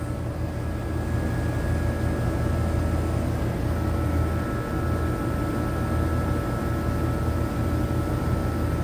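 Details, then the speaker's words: Condenser fan motor runs but compressor only buzzes and won't start on a no-cooling call in 100°F-plus heat; system low on refrigerant, compressor suspected dead, hard start kit considered. "I think we got a dead compressor um see the condenser fan motor on contact pull in condenser fan motor point8 but watch the compressor I hear it like making a buzzing noise"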